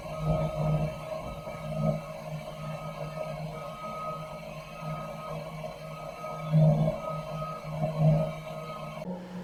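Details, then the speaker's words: Campo 200,000 BTU heater, thermostat-controlled, blower fans kicked in, air blowing out through ducting; steady low hum with gentle swells, no rattles or scraping: burner and fans running normally. "Alright, so our fans are on. Make sure our lines have no kinks. You see the air blowing on the tarp there."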